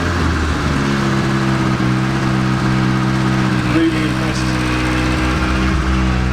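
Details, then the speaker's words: 1980s Rover 213SE petrol restoration project at steady low idle with a smooth throaty exhaust note, no knocks or misses; exhaust had holes all through when bought and it barely has any exhaust; normal healthy idle. "It's got quite a nice exhaust note. It was blown when I bought it. But barely has any exhaust on it."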